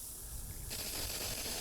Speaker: So you hear that noise. That's some air that's coming to that sprinkler head, and the line is still filling up with water.